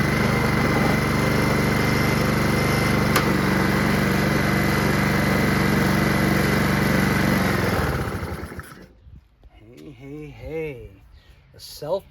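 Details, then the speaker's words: Honda HRR216 Harmony II Quadra-Cut mower built from two broken ones, no blade fitted: even, steady engine beat for about eight seconds before shutting off; runs smooth and healthy. "Works engine starts up it just needs a blade maybe I'll take the blade off of there and put it on here and just sell one as is you know"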